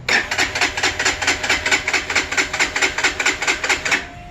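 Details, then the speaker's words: Freshly assembled fuel-injected Lifan KPR 200 motorcycle, start attempt with the clutch in after filling a tank that was shipped bone-dry: starter churns steadily, a bit over two strokes a second, for about four seconds, never catching. Cranks but won't start. "alright clutch in run oh that's a weird noise let's try it again"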